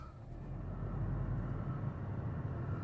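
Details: Toyota Auris after oil change for low, overdue oil that triggered the oil warning light: engine catches and settles into a low, steady hum with no ticking or rattle; clean, healthy idle, oil light off.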